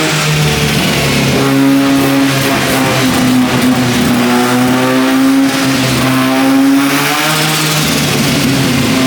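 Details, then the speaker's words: 13B turbo rotary in a replica Lamborghini on the dyno, after fixing a missing engine earth and a loose injector power pin: a steady high buzzing drone rising and falling under load, firing evenly without stumbles. Normal running. "The car, as you can hear, is now running. It's so exciting to hear the motor running that way."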